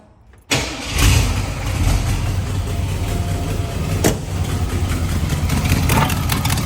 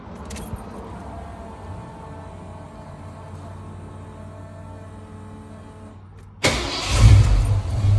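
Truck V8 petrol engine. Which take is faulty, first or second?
first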